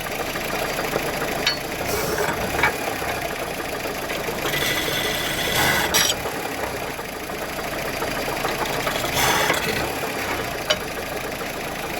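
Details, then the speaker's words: 2015 Honda Civic at idle, AC engaged after climate control module replacement: irregular harsh scraping bursts as AC clutch grabs and slips; compressor seized solid, clutch can't be turned by hand, burning clutch smell. "not moving at all I mean it is the compressor locked up so the compressor's locked up can't win man look at that I can't even move the clutch"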